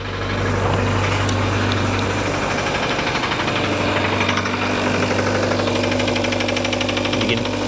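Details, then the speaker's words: Kia with 107,000 miles, towed in, check engine light blinking: rough idle with heavy steady knock from deep inside; suspected connecting rod about to come loose, not confirmed. "You can hear it, it's knocking, right? Engine is knocking, it's knocking pretty bad. It sounds like it's got a rod about to come loose."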